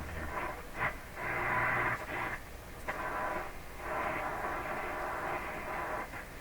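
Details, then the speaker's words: 1940s Stromberg Carlson Model 515 floor-standing tube radio on AM band, band switch in middle: hissy static swells and fades in uneven bursts, no clear station; weak reception with static. "This is definitely the AM band, and the radio is actually receiving. It's just receiving very poorly."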